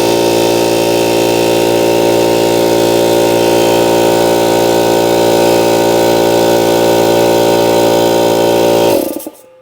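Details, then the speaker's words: 125 psi, 2.5 hp, 21-gallon air compressor: steady, loud motor-and-piston drone with even chatter for nine seconds, then it cuts out; it won't build pressure past 40 psi, head to be removed for inspection. "as you can see it's not building up any pressure past 40 PSI so what I think we need to do is we're going to pull this head off"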